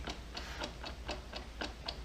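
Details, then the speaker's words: Engine from a 1996 Jeep Cherokee XJ on a pallet, turned over by hand. Light, even ticks about four a second with no slap or rattle; the timing chain sounds tight, not worn. "the chain sounds like it's pretty tight in here doesn't sound like it's wasted or anything"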